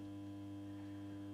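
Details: 1987 Mazda Solair 251 street lamp with 150 W sodium lamp, setting 8, tested in 35-degree heat: steady, even mains hum with a soft buzzing overtone, no flicker or rattle. Normal ballast hum.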